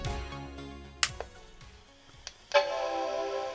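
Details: Apple Performa 475 after swapping the PRAM battery, powering on: some handling clicks, then a clean sustained startup chime holding steady, video signal follows; normal startup chime.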